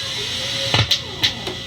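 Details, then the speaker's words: 1980s Roland SDE-3000A echo unit, rear level switch toggled: a steady high hiss throughout, broken by sharp switch clicks, its level unchanged across them; oddly, more hiss comes in the lower gain setting. Audio hiss. "now the reason that's significant because the hiss happens in the opposite position you'd expect so it gets more hiss in the lower gain setting"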